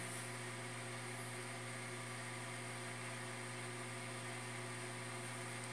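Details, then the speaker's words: New automatic egg incubator just switched on, warming from 23°C toward 37.5°C: soft steady low hum with an even airy hiss and no rattles, fan running normally. "Então, gente, acabei de ligar a chocadeira, olha, ela faz esse barulhinho, ó, que vocês estão escutando."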